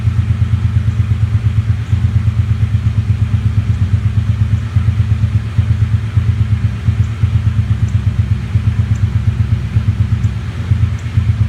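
Steady V8 idle burble that drops a beat or stumbles every few seconds; an idle misfire.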